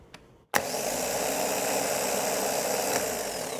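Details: Starter being cranked while measuring voltage drop across the starter relay/solenoid contacts, with hardly any drop found: a sharp engagement click, then a steady, even whirring spin with no grinding. Healthy starter cranking.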